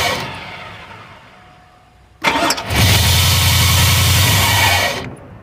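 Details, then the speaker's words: 2002 Chevrolet Avalanche 5.3 Vortec V8, cold start: starter cranks at a steady rapid churn for nearly three seconds, then stops without catching; cranks but won't start. "Nope, I'm still dead. I want to try and crank it up again."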